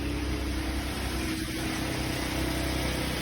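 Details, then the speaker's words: 2011 Jeep Wrangler 3.8L after transmission pan gasket replacement, with about 4.5 of the recommended 8.8 quarts of fluid in so far: steady, even low idle rumble with no knocks, ticks or misses, and no leak seen. Normal idle. "Truck sounds good though, and it's starting to come together."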